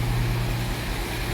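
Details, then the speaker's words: Jaguar XJ-S V12 HE, off road almost 20 years, idling, listening at driver-side A-bank then B-bank exhaust: uneven lumpy pulse, B bank misfiring; HT leads ruled out, owner suspects injector, distributor, coil or amplifier. "right okay here we are let's have a listen right driver side exhaust a bank let's go to b bank rubbish"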